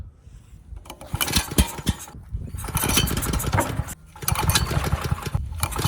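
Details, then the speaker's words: Ridgid 5700 generator with previously seized Yamaha MZ300 engine, governor spring turned down, cranked with starting fluid and drill: short cranking bursts with a few puffs, never catches; not enough compression. "So that is a no-go. The engine will not start, not enough compression."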